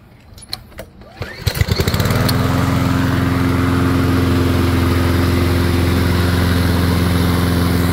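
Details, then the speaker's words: Toro Personal Pace mower, TXP 159cc engine, just tuned up (oil change, sharpened blades, air filter) with the bail clamped: after a pull start it settles into a steady, low, lazy drone. The tachometer shows the governed speed is too slow, so engine speed is too low. "when I started it up it it felt a little slow or sounded a little slow so let me tell you what I I'm gonna do to increase the speed of this thing"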